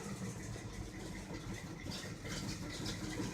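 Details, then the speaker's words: 1984 Chevrolet pickup, carbureted V8, just after a cold start on a cool rainy day: quiet, slightly lumpy idle, no ticking or knocking; needs patience until warm, but healthy. "it's just a typical truck with a carburetor everybody's used to fuel injection and stuff and they start immediately they don't die"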